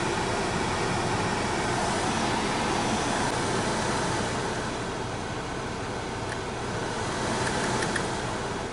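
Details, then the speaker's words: 2002 Opel Vectra C heater blower after motor repair and riveting, on first speed: steady, even fan rush, much quieter, with a slight remaining sound probably from brushes not yet bedded to the commutator; normal blower run. "первое положение конечно потише стала asiana звук еще какой-то присутствует это скорее всего щетки не притерлись к этому коллектору да намного тише стал печка работать мне нравится"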